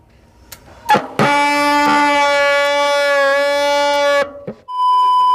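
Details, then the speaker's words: Hero MTB bicycle disc brake, mic beside the disc: loud honking squeal after minor oil got on the rotor during lubrication, making pads slip and braking poor. "Minor oil जाने के बाद जो है disc plate को इसका ख़राब कर दिया, स्लिप करता है और नॉइज़ का प्रॉब्लम भी आता है और ब्रेक सही से काम भी नहीं करता है।"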